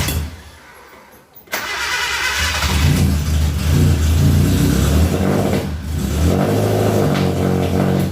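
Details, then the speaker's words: Suzuki Katana carbureted engine right after the contact points were set: brief cranking, then a rough, uneven idle, hard starting and no power; ignition timing must be adjusted by turning the distributor. "Oh no kendur platina sudah disetel namun mobil mau hidup susah saya tidak ada tenaganya"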